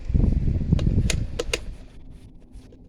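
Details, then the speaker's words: Late-1990s/early-2000s Lasko model 2009 9-inch oscillating table fan, used thrift-store find, running on low: uneven scraping ticks about four a second, fading, over low fan rumble; bearings scraping, likely dry or worn (not confirmed). "Let's get right in and start off on low. Bearings are making some odd noises."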